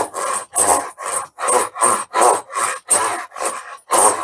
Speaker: Now you can hear how much vibration I'm getting out of that. I don't remember it doing that before.